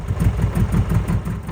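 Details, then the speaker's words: Abandoned 1980s Eagle SS kit car, Beetle-like air-cooled sound, first run after years sitting: lumpy, uneven putter at about five pulses a second, surging and stumbling; dies as soon as the accelerator is released, won't idle, quite smoky. "But as soon as you let off the accelerator, it would die. It had absolutely no desire to idle,"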